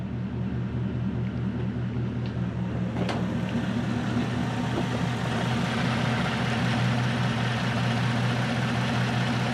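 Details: Toyota Celsior (Lexus LS400) 1UZ V8 after airflow meter and misplaced EFI fuse fixes, idle stepper reset: smooth, even idle with a steady low rumble and no hunting, surging or knocking; idle speed holding correctly.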